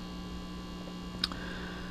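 Constant low steady hum with a faint buzz above it and a single click; mains pickup on an open, unshielded input.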